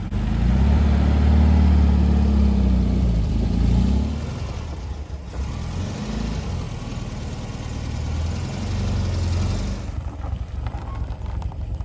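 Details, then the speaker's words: 1973 VW Beetle after fitting an oil breather filter and a clean carb, following flooding: loud low rumble flares on the rev, then drops back uneven and lumpy; runs rough, and the owner plans to adjust the air-fuel mixture. "it's running not very good need some adjustments but we're going to go ahead and mix the air fuel mixture probably tomorrow"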